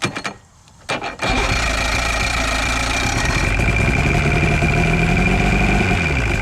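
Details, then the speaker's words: Chrysler 100hp two-stroke outboard on a 1982 Glasstream boat, sat about 6 years, run on premix fuel from an auxiliary source: a few cranking bursts, then catches into a steady, even buzzing run; normal running, sounds good, hot water coming out. "Not seeing any water flow out of it, but it sounds good. Oh, there she goes. Yep, hot water coming out of there."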